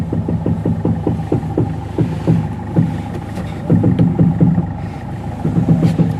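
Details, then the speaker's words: Toyota Etios, steering being turned at idle: quick tak-tak knocks about four a second from the shock/strut side, a sticking strut top mount bearing. "Steering ഇരിക്കുമ്പോൾ ഷോക്കിന്റെ ഭാഗത്തു നിന്നാണ് sound."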